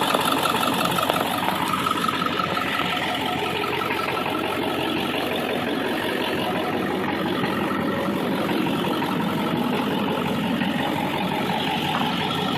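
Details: 2002 Ford F250 7.3 Powerstroke diesel V8, about 270,000 miles, idling with dense rattly clatter and a loose knock about twice a second; owner suspects injector or engine, worse in cold after driving, cause unconfirmed.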